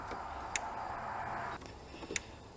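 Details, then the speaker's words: 2011 Ram 5.7 Hemi that died on the road and only starts sometimes: two crisp fuel pump relay clicks about 1.6 s apart but no output and the pump never runs; controls and coil side are good, so the fault is isolated to the fuel pump relay. "we can hear the relay clicking we know the controls got to be good the coil side of the relay is good the load side of the relay it shares a feed with several other circuits those circuits are fine so the problem is isolated just to the fuel pump relay"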